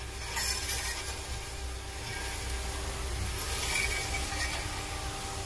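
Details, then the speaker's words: Car wheel turned slowly by hand: rough scraping, crunching and grinding heard from one side only, not the differential; brake hardware grinding, wheel felt reluctant to turn. "I can hear stuff grinding. Let's see if I hear it on this side. No, everything I'm hearing is over here, guys."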